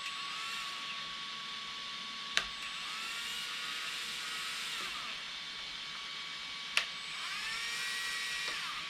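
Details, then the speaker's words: Team C Jekyll RC buggy brushless conversion, Etronix 3300Kv motor on cheap unbranded 60A ESC; thin high whine climbs slowly with each throttle squeeze, couple of sharp ticks; suspected faulty motor or poor motor connection, GoolRC motor spun up instantly. "However, from the evidence, this motor is also crap because the Ghoul one picked up speed instantly with this, and I believe, was it not slow with this? I think it was."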